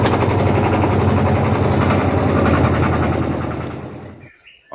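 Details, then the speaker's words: Washing machine spin-dryer motor running down: loud rapid rattling hammer, about four knocks a second, from the motor wobbling because one of its suspension spring mounts is likely snapped; mount needs replacing. "teman-teman jika kalian mendengarkan bunyi bising seperti yang kita dengar tadi itu di mesin yang ada di belakang saya ini berarti itu menandakan salah satu daripada kaki dia punya spring penahan motor berarti itu ada yang bermasalah atau dengan kata lain kemungkinan ada yang patah teman-teman"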